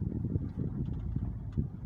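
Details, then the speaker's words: Toyota Alphard after steering/suspension repair, test-driven over simulated rough road: only low road rumble and wind, the earlier clunk-clunk in the steering no longer heard. "ya bunyi klub-klub pada setir sudah tidak terdengar ya"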